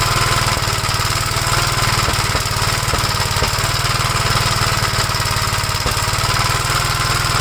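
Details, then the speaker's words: 1956 Gravely L still running rough with the carburetor from a 1957 LI swapped on, choked. Uneven single-cylinder thump at about four beats a second with odd harder hits. The swapped carburetor is known good, and the owner suspects a governor over-rev damaged the head gasket or something else. "okay so we know this carburetor is good there's something else WR with the engine"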